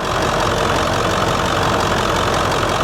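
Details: 1999 Ford F350 7.3L PowerStroke turbo diesel, about 200,000 miles, warm idle during blow-by test: steady, even diesel clatter with no misses or knocks; no blow-by found, no leaks; healthy engine.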